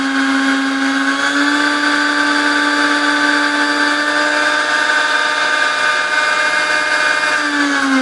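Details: Sunbeam Mixmaster model 12C after general service and cleaning corrosion off resistor contacts, running with beaters: smooth, steady mid-pitched motor whine at even speed, no rattle or grinding; healthy.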